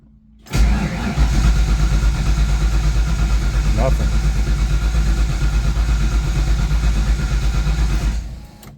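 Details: Fox Body Mustang ("Black Widow") after long sitting, slightly drained battery: starter churns evenly about eight seconds, engine never catches, not even a bark; spark later confirmed present.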